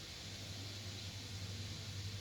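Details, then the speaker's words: HP EliteBook 840 G2 laptop that powers on with no display and five caps-lock blinks; with the mic close to the fan, a constant airy whoosh and steady hum shows the cooling fan stuck at full speed when it should be nearly silent. "It's running at top speed, which shouldn't be. The fan should be running. In fact, the sound of the fan should be very silent, to the point that you can't hear any sound coming out from the fan."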